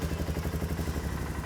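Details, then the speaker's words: Suzuki King Quad 450 ATV on a cold start after a fluid service and cooling-system fix, first start in a couple of weeks: single-cylinder idle settles into steady, even thumping with no knocks or misses; normal idle. "There it is. Starts like a charm. It's the best running bike I've ever had."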